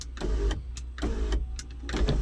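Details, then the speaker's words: 2014 GMC Sierra SLT 4WD 6.2L L86, intermittent sunroof, no codes: short uneven motor bursts starting and stopping irregularly, about three in two seconds; sunroof working but not correctly, possibly a bad motor assembly, cause unclear. "but not correctly look at that what in the world okay so let's try this relearn procedure quick since it is working you know i am not sure guys what's going on here we could have a bad motor assembly"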